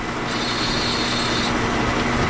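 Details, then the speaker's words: Homemade copper-wire stripper, newly fitted free-swinging guide roller spinning on two scrap spacers with no bearing: steady high squeal. Squeal means no load on the roller; needs a bearing fitted. "yeah we're gonna have to get something with a bearing [Music] I'm okay with that because if I hear that noise that means there's no pressure on that"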